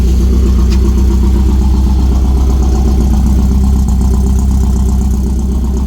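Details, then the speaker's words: 1988 Porsche 944 race car, not run in a few months, started on a jump battery because of a dead battery: deep, even, lumpy four-cylinder idle with no knocks or misses while it idles up; normal idle. "Yep, just a dead battery. Hasn't been running in a few months, so we'll just let it sit here for a few minutes and idle up. Seems to be running pretty good."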